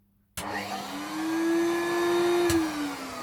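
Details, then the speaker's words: 1993 Hoover Turbopower 1000 U2814 upright vacuum: spins up to a steady, high, strained, squeaky whine from restricted airflow. The premotor filter and permanent bag are clogged and the bag-full light is on; a possible belt issue is unconfirmed. "away we get a red light and that red light is the bag full light I'm not surprised because the premotor filter is disgusting and the perma bag thing is disgusting and it's clogged"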